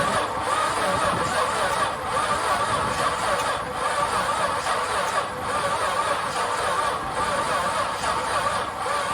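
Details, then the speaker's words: Long-stored VJ Dodge ute, previously stuck engine, with oil but long unserviced and no transmission fitted: slow, labouring crank about one heave every 1.5 seconds, rough and rasping, harsh turnover. "I must admit, she doesn't sound very pleasant. One of the worst ones I've heard turn over in a long time."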